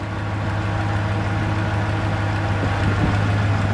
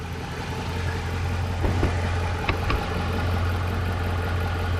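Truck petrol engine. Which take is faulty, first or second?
first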